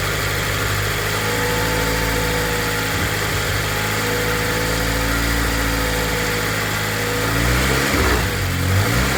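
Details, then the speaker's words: Honda K24-swapped BMW E36 after head gasket repair with freshly redone head, turbocharged, running rich then leaning out; even idle climbing smoothly when throttle opens, no tapping or stumble, sounding good. "There it is. Yeah, that's what I was Yeah. giving some throttle. Sounding good."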